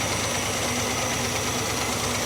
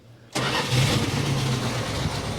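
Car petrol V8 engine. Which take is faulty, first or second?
second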